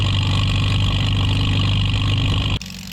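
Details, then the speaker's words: 1949 Farmall H tractor running after sitting roughly 10–20 years: steady, slightly laboured pace with an even low beat, no misses or knocks; sounds more loaded but smoother. Normal running. "Funny. It sounds like it's loaded more, but it's smoother."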